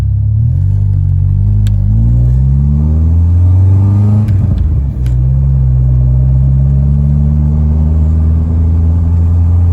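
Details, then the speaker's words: 16-valve Mk2 Golf GTI running lean at 0.7% CO (spec 2%) after MOT emissions adjustment: revs climb then sag and stumble with sharp pops; lean mixture making it bog, feel unresponsive and backfire. "so what's it like driving a car that's running at zero point seven percent uh co2 it's pretty nasty uh it bogs down it's unresponsive and it backfires"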